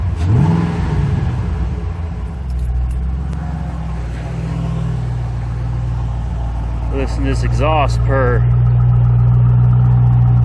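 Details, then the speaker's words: 2006 Mustang GT 4.6L 3V V8 with Flowmaster exhaust, after replacing all 8 coil packs: quick blip, then a smooth, deep burble swelling evenly as revs rise, no misfire; runs like a top. "Those Flowmasters sound good. Alright, so as you can see, she runs like a top."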